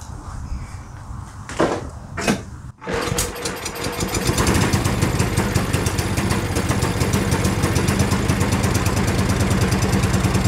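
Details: Yardworks two-stage snowblower small engine, pull-started by recoil handle because the electric starter is suspected dead, throttle slightly sticky: after a few failed pulls it catches and settles into a steady, even run with no misses, running properly.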